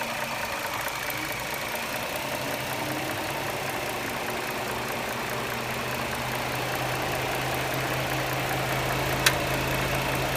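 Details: 2009 Dodge Charger 3.5L V6 at steady idle: light, fast ticking over the hum with an occasional sharp ping; noticed over roughly the last 6000 km, and an air device kicks in with a whine at shutdown; cause unknown.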